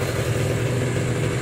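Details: 2014 Kawasaki Ninja SS two-stroke whose engine was submerged in a flood, then fully cleaned and restored. A short, even low burble with a steady beat and no knocks or misses; normal, smooth idle.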